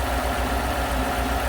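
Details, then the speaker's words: 2017 Chevy Silverado 1500 4x4 5.3 V8, idling unevenly with tick and lumpy misfire, flashing then steady check engine light; cause bent pushrod and broken lifter. "It's here because the check engine light is been reported to be flashing. Has a tick in the engine and a misfire. Check engine light is on steady now. Definitely has a shake to it."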